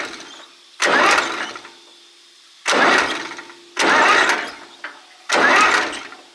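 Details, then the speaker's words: Old Zetor diesel farm tractor, first start attempt since 1986: repeated short starter cranking bursts with a firm, even chug; plenty of compression, push rods returning but valves likely out of adjustment; engine doesn't catch. "I would say they're all returning, because when you spin it with the starter it sounds like it's got plenty of compression."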